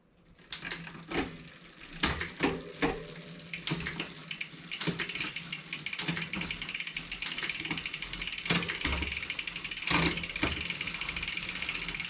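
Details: 2020 Specialized Fuse 27.5+ with a Shimano Deore Shadow Plus 10-speed derailleur, after turning the barrel adjuster a quarter turn clockwise: crisp single clicks as the chain steps cleanly up and down the cassette, no grinding. Indexing is set.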